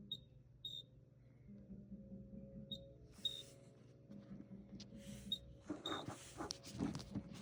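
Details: Frigidaire refrigerator: short, high chirps in pairs every couple of seconds over a low fridge hum; source of the intermittent chirp unclear; chirping noise.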